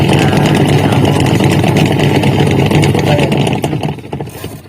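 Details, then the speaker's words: Polytron two-tub washing machine whose pulsator won't spin, spin dryer still fine: rough, gritty grinding churns steadily over the wash motor hum at about three pulses a second, then fades. "and here The sound is noisy and rough, you can pay attention, friends"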